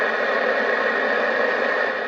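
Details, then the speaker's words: Midland 4001 40th Anniversary CB radio (2006, new old stock), no antenna connected, volume halfway: loud steady hiss; receiver's own noise floor far too high. "This has a hellacious noise floor. There's no antenna on this rig at all."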